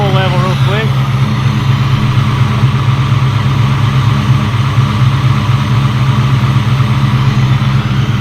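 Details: 2003-2004 Mustang Cobra V8 with a Gen 5 Whipple supercharger idling just after first start: steady, even, deep note with no misses or knocks; no leaks found, sounds healthy.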